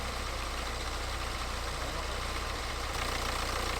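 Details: BMW 118d, N47 2 L diesel, after replacing the rattling, leaking water pump and refilling coolant, running to check for leaks: steady diesel clatter at an even idle, no rattle or wavering speed; idling normally.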